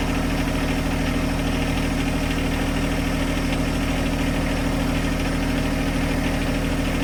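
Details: John Deere 1025R compact tractor diesel, started cold to cycle fluid through the filter: steady, even idle with smooth low chug and no knocks or misses; normal idle.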